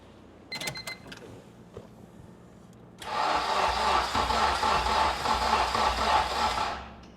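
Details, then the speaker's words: K24-swapped EK Honda Civic, start attempt after fixing ECU power and grounds: about four seconds of steady rhythmic cranking, close to catching but never firing; cranking, no start. "It wants to start."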